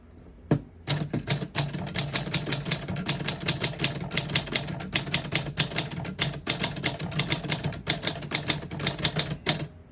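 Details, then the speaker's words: 1946 Smith-Corona Clipper portable typewriter, single line spacing: crisp even keystroke clacks at about five a second, each clean. All keys type well, none skipping or sticking. "As you can see, all the keys type nice and none of them skip or stick."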